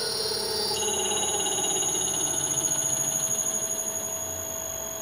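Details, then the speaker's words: Leeson 1800 RPM D80 lathe motor on Teco-Westinghouse L510 1HP VFD in V/f mode; steady drive whine with rough pulsing wobble about twice a second at mid-range, motor shaking and noisy, smoothing out at 60 Hz. "as we get to the mid-range you can see the motors kind of shaken and make a noise we'll get through that that smooths right out and that's 60 Hertz which is the designed rpm for this motor"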